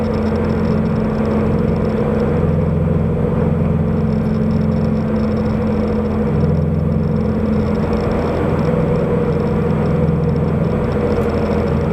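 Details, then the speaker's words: Subaru BRZ/FT-86 with SpeedFactory header and exhaust, in-cabin while cruising after fixing header rubbing the debris shield: steady low, even exhaust drone with no rattle, buzz or vibration; torque dip gone, drives as smoothly as when stopped. "it drives just as smoothly now as it did when it was stopped"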